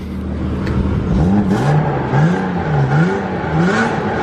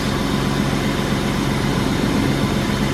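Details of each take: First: 1995 BMW 325i E36 sedan, 158,000 miles, long-sitting, warm, with catalytic converter and resonator deleted, muffler only: repeated throttle blips give a loud, raspy, tinny note rising and falling with revs. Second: 1995 BMW E36 325i sedan, M50 inline-six, idling just after fitting a new belt (idler pulley worn but spins free): smooth, quiet, even idle with a steady low hum, no ticks, knocks or squeals. Normal healthy idle.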